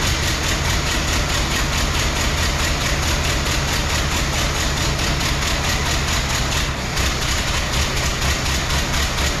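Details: 1914 Ford Model T four-cylinder, rear wheel jacked up, choked and started as found before any work: uneven, stumbling chuff at idle with missing firing pulses; running rough, suspected on three or fewer cylinders, ignition and compression under investigation.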